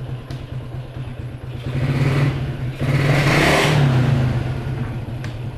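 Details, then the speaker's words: Yamaha Jupiter MX after repair of a humming/whining noise linked to the pulser rubbing the magnet; idles evenly, revs and settles smoothly with no whistle, headlight now bright instead of dim; normal idle and rev. "Kelihatan ya tuh Lampunya udah terang kemudian mesin juga udah halus gak ada bunyi-bunyi"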